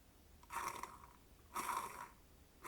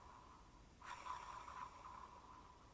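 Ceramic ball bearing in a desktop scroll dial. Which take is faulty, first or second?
first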